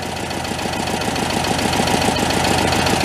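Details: Homemade tractor with a 1967 VW air-cooled flat-four, leaking oil from the bottom, cold on choke: even, steady idle about three to four beats a second, slightly high, nothing knocking; normal idle before the choke is backed off.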